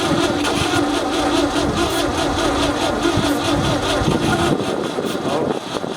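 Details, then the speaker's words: 1966 Ford F500 parked in a barn 20 years: starter churns about two beats a second, engine gives a weak cough but never catches; carburetor seized, no starter fluid on hand; carb later pulled off. "we tried to get it started we almost got it it kind of coughed a little bit but that carburetor was so seized up and we didn't have any starter fluid"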